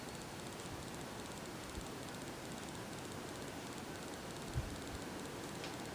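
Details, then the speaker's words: 52-inch Kendal Lighting lit-housing ceiling fan on high speed, about 215–220 rpm: rough gritty whir with faint rapid ticking from loud, worn bearings that do not seem to affect rpm; oiling helped slightly. "as you might hear the bearings are quite loud on it surprisingly enough it actually does not seem to affect rpm"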